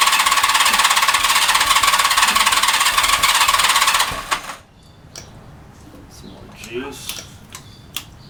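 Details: Cold start at 65°F with no choke, single carb newly installed and hand-throttled, electric fuel pump clicking, minor vacuum leaks at intake runners: engine runs fast and rattly with uneven pulses for about four seconds, then dies.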